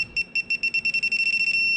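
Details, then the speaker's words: Digital torque wrench tightening exhaust manifold bolts onto cylinder heads of a 2009 Hemi 1500, set to 18 ft-lb in torque pattern: high beeps quicken as target nears, then merge into one steady tone meaning target torque reached. "And you hear that that steady tone means we've hit our target."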